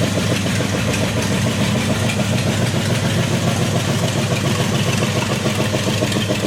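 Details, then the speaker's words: 1932 Ford gasser truck, 40-plus-year-old V8 that sat in a shed, first start without water or fan belt: fires and settles into even, steady idle with smooth lope, no knocks; oil pressure about 42; normal idle. "oh that sounded beautiful too how long did that motor set for 40 something years old"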